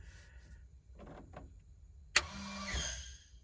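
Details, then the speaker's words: Crop-spraying airplane with a rebuilt spray system, newly wired right-boom shutoff valve switched on: a sharp click, then a half-second whir ending in a soft clunk as the valve turns to shut off the right boom, working normally. "So if I flip this switch on, you should be able to hear that valve turn, which would turn off the right boom, and that light should come"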